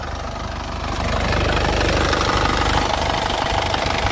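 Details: Isuzu Panther LS Turbo diesel, late 2007, about 103,000 km: even diesel clatter at steady idle, builds slightly and holds, no misfire, tapping or smoke; engine judged healthy. Normal idle.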